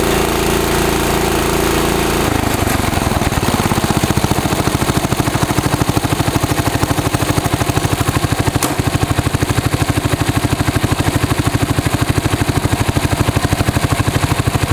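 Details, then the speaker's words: 1965 John Deere 110 round fender single-cylinder engine with new fuel line, fuel filter and oil change, carburetor not cleaned, started in neutral: a short start settling to an even beat near two firings a second. Normal running. "You can hear that motor. Make sure it's neutral. Pretty good engine."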